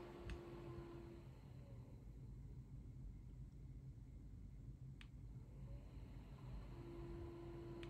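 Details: Dyson Pure Cool Me BP01 fan/air purifier on power-up: faint steady whistle and low buzz over the fan rumble, louder at higher speeds and gone without the filter; caused by a dirty filter-to-case seal, fixed by cleaning and reseating it.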